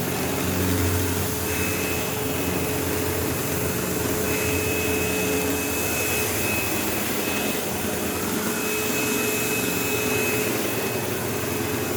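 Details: 15-year-old, heavily used Sebo Automatic X5 upright vacuuming a living room: constant motor roar with harsh buzz and thin whine, occasional belt-slip-like squeal; brush roll rattling and vibrating, belt had tension, owner wonders if it needs a belt; cause unconfirmed.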